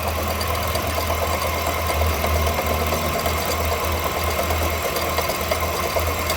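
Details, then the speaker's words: 2011 Ford Expedition, 5.4 3-valve, 200k+ miles, idling with belt reinstalled: dull fairly regular knock about three times a second through the block, mistaken for engine knock. "Okay. Yep. Noise is back. You can hear it loud as day now again."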